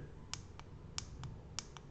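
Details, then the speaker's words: Grove relay module on port D4 of an Arduino Uno, switched by a button: crisp paired on/off clicks over a quiet hum; the relay switches normally. "i you can hear one click noise in this relay switch can you hear it"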